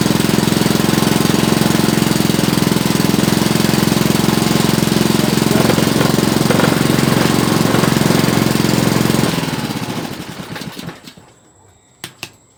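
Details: Honda GC160 5 hp single-cylinder after hard-start repair (faint spark): steady, even thumping, then winds down and stops cleanly; runs as it should.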